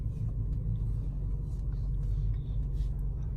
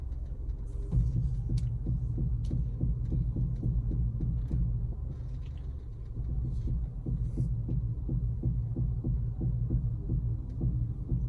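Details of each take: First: Honda CR-V after replacing front strut bump stops: steady engine rumble while steering, previous turning noise gone, no knock, creak or clunk, steering feels smoother. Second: Honda CR-V while steering: repeated low clicks and knocks under the engine hum, louder the slower it turns, from a worn strut mount bearing; the noise returned after a previous replacement part.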